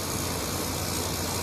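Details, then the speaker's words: Kenmore PlasmAire low-profile 6000 BTU air conditioner with LG compressor, curb find, in cool mode; smooth even hum with soft airy hiss, no knock or rattle, compressor running quietly and normally. "sounds good it's quiet very quiet"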